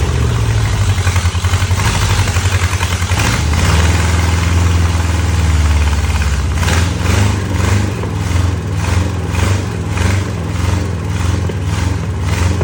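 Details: 1963 Oldsmobile 394 Starfire V8, forgotten engine just reassembled and started: steady, lumpy low rumble with a few light throttle blips, running evenly.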